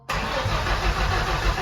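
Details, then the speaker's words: Turbo-swapped 1989 Ford Thunderbird Super Coupe, 5-speed manual, newly wired Holley Terminator X ECU: steady cranking churn that never fires; ECU shows code 7, cam error, so cam sensor issue. "Number 7 was lit up red there when we were trying to crank it. Let me see what that means. So 7 in the red says cam error detected. So we must have some sort of issue with our cam sensor."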